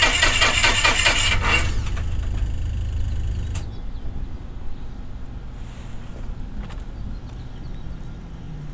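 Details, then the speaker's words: Beechcraft Musketeer aircraft engine dormant six months, fuel system in poor condition, shower-of-spark ignition with induction vibrator possibly not working, starting attempt on starting fluid; cranks and fires roughly a couple of seconds then dies; fuel starvation. "it fires if I can get fuel to it maybe it'll run let's try that again"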